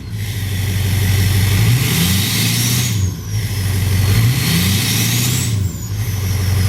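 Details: 2007 Ford F-250 Powerstroke diesel with newly installed MBRP 4" cat-delete exhaust, first run: loud deep exhaust drone, two even rev pulls with rising turbo whistle, no puffing or ticking from clamp leaks; normal rev.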